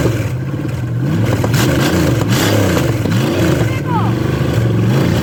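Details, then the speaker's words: Chevy 305 small-block V8 with a carb and an HEI distributor from a '76 Impala, run briefly with no coolant in it; strong, even burble with clean rising and falling revs, flames from the exhaust, no knocks or misses; normal running and revving. "will it idle can i get the flames yeah i want i didn't want to run it too much longer because there's no water in it it sounds good baby"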